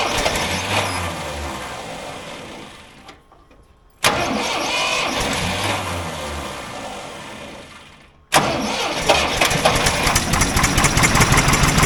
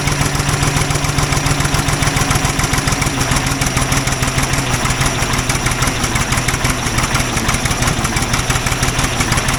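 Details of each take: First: Old Ford loader backhoe, sat over a year (likely 5+ years unused), first start after revival: starter cranks, engine catches with a roar and settles into a steady run on its own without starter fluid; starts and runs fine. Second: Old Ford loader backhoe, long unused, rough idle with uneven pops and spits through the exhaust; mechanic suspects it isn't getting full gas flow, as a fuel line connection leaks gas badly; cause not confirmed.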